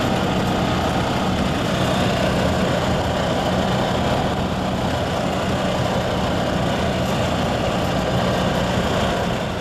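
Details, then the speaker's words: Yamaha G2 golf cart single-cylinder engine after a tune-up (carburetor, air filter, spark plug), started from cold in neutral, the first cold start in 6–7 years: steady, even thrum with no stumbles or misses; normal cold idle. "Okay, that's now the first time that's happened in about 6 to 7 years, starting up in the cold. So at least our tune-up did help, and my next step is to take it outside in the snow and take it for a test drive."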